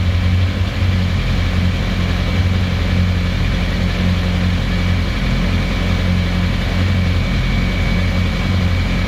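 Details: 2007 Yamaha YZF-R1 at idle: loud, low idle that wavers and surges unevenly instead of holding a steady beat; rough, hunting idle, cause not yet found.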